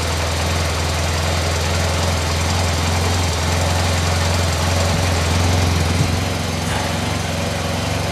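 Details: Vehicle started after installing a new fuel pump; the pump is audible priming first. The engine then holds a steady, even idle with no misses, knocks or hunting, just a smooth low rumble.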